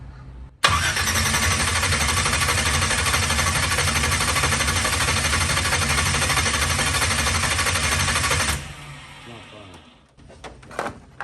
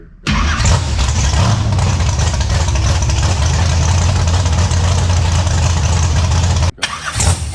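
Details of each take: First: Big block Chevy Nova V8, first fire-up with updated ignition: starter churns about three beats per second for eight seconds, engine never catches; wrong one of two side-by-side ignition wires was hooked up, so no ignition signal. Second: Big block Chevy Nova V8, first fire-up with updated ignition and nitrous control: cranks and catches quickly, settles into steady, even idle with no knocks or misfires until shut off; runs and sounds good.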